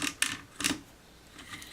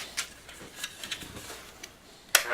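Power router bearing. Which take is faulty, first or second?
first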